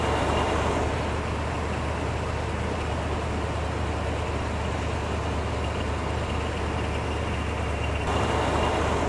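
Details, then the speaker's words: V8 vehicle unstarted for months, running after a DeWalt DXAEPS14 jump start on the second try, during an alternator check that showed good charging: steady low even idle rumble, no misses or rattles. "So now we've got a running engine. Took 2 tries to do that, but this thing hasn't been started in months."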